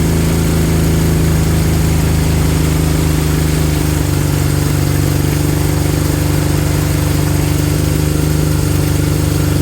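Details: Honda CB200 twin after top-end work, rings bedding in, fuel tap flow previously thought low and causing intermittent running: deep, steady idle with even firing, no misses or hunting; normal idle.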